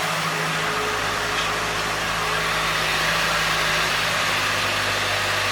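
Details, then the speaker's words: Ford Ranger 2.3L idling in the garage after the oil pressure switch was replaced as preventive maintenance, with no oil pressure warning shown: steady, smooth low hum with no knocks, ticks or rattles; normal idle. "I'm also waiting to see if I get anything from indication about oil pressure [Applause] got no indications just good so now he's going to make sure there's no leaks everything's running right"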